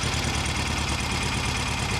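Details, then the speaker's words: Rebuilt Volkswagen Beetle engine: steady idle with dull regular low knock each revolution; engine knock blamed on a builder error, cause unconfirmed (bearings, measurements or parts questioned). "there's a video of the engine running and it ran quite well, but it knocked. There was a knock and it was very discouraging and it was 100% my fault."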